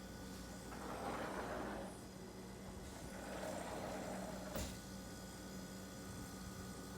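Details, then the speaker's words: Frigidaire top-freezer refrigerator after replacing the compressor start relay and capacitor: steady low compressor hum that no longer clicks off, with brushing sounds and one sharp click; fixed. "See how it's not turning off? Unit is fixed. Start relay and capacitor."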